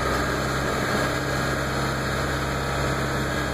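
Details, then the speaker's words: 2000 Ford F350 diesel at held throttle: steady drone with a brief dip and lurch, an intermittent hiccup, tach jumping; crank position sensor replaced twice, IDM overvoltage code 1670, batteries draining; owner suspects the under-valve-cover harness. "Okay, now she's starting to do it again. Every so often, you'll hear it hiccup."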